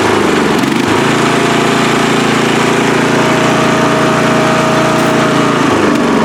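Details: Free riding mower, engine test after gas tank was drained and fuel added; it was flooding and backfire was feared before starting. Loud, steady engine drone holding even speed without stumbling or surging: normal running.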